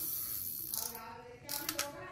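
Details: Japanese spinning reel, new with box, stated as 5.1:1 gear ratio, 325 g, size 3000: handle turning gives a light, even whirr with fine ticking and no grinding or catching spots; normal, smooth cranking.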